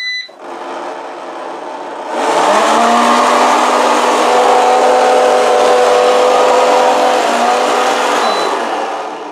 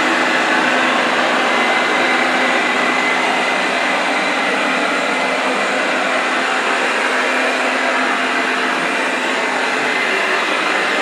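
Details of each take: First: Eufy RoboVac 30C robot vacuum, reported as very noisy; start-up beeps, then a loud, harsh whirring roar with a gritty rattle from the suction fan. The fan appears to have something rattling around inside it. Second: Eufy RoboVac 30C after replacing the rattling suction fan: steady, even whoosh with no rattle or knocking; repair successful.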